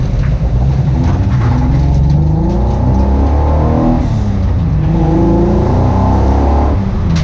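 Engine revs up and falls back twice with a steady roar, some unevenness in the note fits a misfire under revving.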